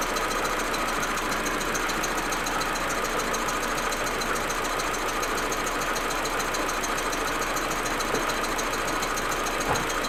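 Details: Audi A4 1.8T at cold idle: loud, uneven idle with irregular stumbling beat; smooth once warm. Plugs, coils, ignition amplifier and vacuum hoses already replaced; owner suspects injectors or carbon buildup, misfire cause unknown.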